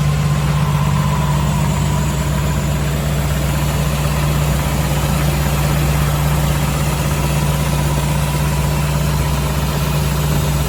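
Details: 1984 Jeep CJ7, frame-off restored: starts very easily and idles with a steady, even low rumble and smooth unchanging beat, no knocks or misses; clean, healthy normal idle.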